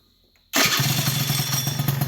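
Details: Honda Elite scooter, first start after replacing failed stock ignition and stator (pickup gap about ten thousandths): silence, then the single cranks and catches immediately into quick even putter; ignition sparking fine.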